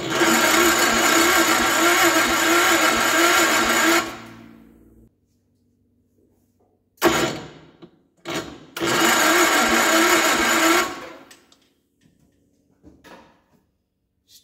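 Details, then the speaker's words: Gravely 814 tractor that sat outside for years, with the battery charged, a new key switch and low oil: fast, even cranking that never catches. No spark, so it cranks but won't start. "no spark got power there now have power there when cranking now just gain spark and fired we got intermittent spark for some reason I have no idea why but it's trying to Fire"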